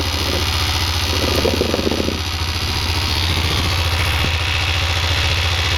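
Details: Yamaha XT660 single-cylinder idling very cold: fast, fairly steady tick over the thump, attributed to the oil pump, lasting about 40 seconds after a cold start.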